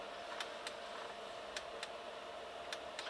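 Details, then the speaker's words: Chinese HCalorie diesel heater on a first test with a homemade controller, cooled to 60 degrees after flame-out. Faint paired ticks about once a second over a quiet hum as the dosing pump keeps pumping fuel. Dosing pump keeps pulsing after flame-out; a pulse generator fault is suspected. "we've got down to 60 degrees now and we're still pulsing the dosing pump I'm a bit worried about that though"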